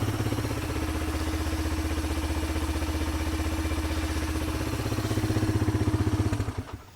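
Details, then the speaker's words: Suzuki DRZ125 dirt bike, started after cooling off a little: small single-cylinder thumps steadily at about four a second, even and settled, then cuts off; healthy idle, bike runs good. "This machine runs good."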